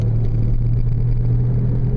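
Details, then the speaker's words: 2000 Oldsmobile Silhouette minivan at 20–25 mph: steady low growl/hum tracking wheel speed not engine rpm, persists in neutral; owner concludes it is probably the drive axle wheel bearing hubs, later replaced. "I noticed that the pitch of this growl or hum is relative to the speed of the vehicle wheel speed it's not relative to RPMs of the engine"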